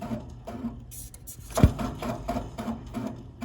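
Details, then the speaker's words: Furnace inducer motor starting up and spinning faster: low hum with rhythmic scraping rub and aggressive knocking as the inducer fan rubs; rubber grommets or gaskets are suspects. "Now, when the system turns on, believe it or not, it spins at a much faster pace, and it makes some pretty aggressive knocking noises."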